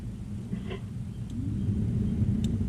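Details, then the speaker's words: 1975 Chevy C10 with a swapped-in 1983-87 C10 climate control unit, blower on the brown wire (low speed; orange is high): soft low airy hum settling to an even steady whoosh, heater blower running smoothly on low. "Orange is the high and brown is just our low speed"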